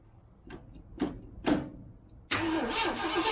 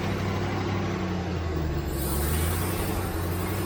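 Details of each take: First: 1967 Mustang on first start after months sitting, choke on, in park: fuel pump working, but the float bowl is likely empty; slow cranking then steady spinning that never catches, cranks but won't start for lack of fuel. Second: 1967 Ford Mustang V8, carbureted, first start after months sitting, after pouring in about 2 gallons of gas: steady, even rumble without stumbling or surging; normal running, lack of fuel was the problem.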